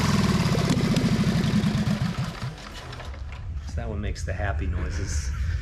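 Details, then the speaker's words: 1928 Harley-Davidson factory hill climber, one-kick start: loud lumpy firing about four beats a second, then settling to steady low run; healthy, normal running. "Now this thing makes absolutely awesome noise for a bike of this age to produce the power that it does, and really pretty impressive."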